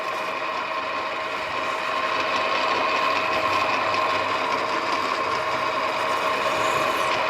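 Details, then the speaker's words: Spinning copper on a lathe: a steady scraping hiss with a constant high singing tone as the tool squeals against the metal; lubrication is suspected as the cause, not confirmed. "quando fa questo rumore qualche idea mi pare riguardare lubrificante"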